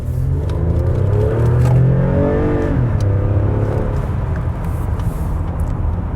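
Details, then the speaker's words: Lexus ES350 with 2GR-FE V6 on a used-car test drive, pushed hard from near a stop: clean, smooth full-throttle pull with steadily rising pitch and no misses or hesitation, and traction control came on. Healthy engine. "that is a pretty healthy engine."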